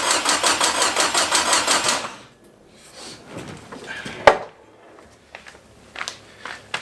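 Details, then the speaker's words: Forgotten Datsun convertible, cold shop, after fitting a forklift starter in place of the seized one and priming the oil pump; two seconds of fast, even cranking with no firing, because no fuel was hooked up; owner also suspects a possible spark issue. "know what's going to make this work a lot better gas"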